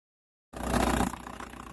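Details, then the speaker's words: VW Bora/Golf 4 1.9 TDI AJM diesel at idle: loose uneven rattling clatter that stops when the clutch is pressed and while driving; suspected worn dual-mass flywheel, not confirmed, to be replaced with a LuK clutch kit. "так что так все призраки поломки сцепления на лицо тарахтит выжимаешь сцепление не тарахтит ходу не тарахтит"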